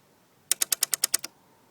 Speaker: noise this is the solenoid valve working that demonstrates that the electronics are working